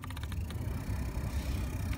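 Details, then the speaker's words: 2013 Nissan Altima, sharp clicking from the passenger side behind the dash with the blower on, faster and higher as blower speed rises, stopping when turned down; suspected debris hitting the blower wheel spokes, not confirmed. "that clicking sound gets faster and a little bit higher and when I turn down the blower it slows down and comes to a stop"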